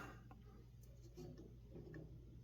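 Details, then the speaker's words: Propane fireplace whose pilot keeps going out, after the logs were reset and two plugged burner holes found; turned to on, soft ticks and clicks over a low steady hum as the gas valve clicks on normally; not yet confirmed fixed. "I'll turn it up. 1, 2, 3. You'll hear it kicking on for a second. There we go."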